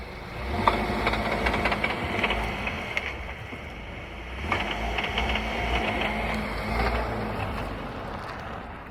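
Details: VW Tiguan: uneven clattering over the engine drone, bunching up as load shifts; owner asks what it is, drivetrain rattle on load change, suspects gearbox or dual-mass flywheel, unconfirmed.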